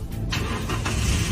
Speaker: look started successfully the power is also very strong